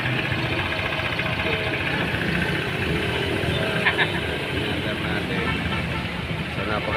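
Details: New Honda ADV scooter, 41 km, returned after one day for a noisy CVT with strong dragging and vibration; after cleaning the CVT, it runs with a steady, even drive sound, no grinding or rattling.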